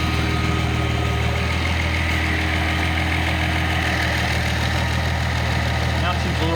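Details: Nissan L28ET turbo engine with a Ford idle air control valve driven by a VG30ET controller, AC on: a near-constant low drone. Hunting was reduced after adjusting the valve.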